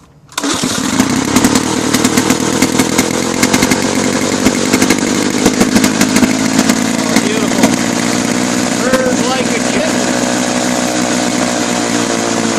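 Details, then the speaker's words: 1984 Lawn-Boy mower after a carb fix with the float checked and a new gasket, fueled and primed. It fires on the first pull and runs with a smooth, even buzz, no stumbling or surging. It runs great. "and just wanted to show Lauren it's looking good, and still runs great."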